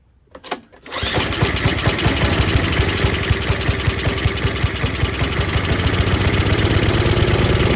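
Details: Murray Ultra 5 hp snowblower, Tecumseh engine, after carburettor cleaning: pulls over, catches at once and runs with quick even firing pulses at steady speed, no misses or surging; running right.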